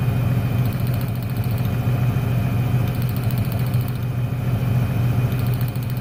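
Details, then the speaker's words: 1996 Ford Ranger 3.0L V6 lacking power: low, uneven loping idle, and pulling the last plug lead (cylinder 1) brings no change, so that cylinder is dead; cause not yet found. "el problema está en el último al desconectarlo no se nota ningún cambio en el motor ese cilindro es el que no está trabajando"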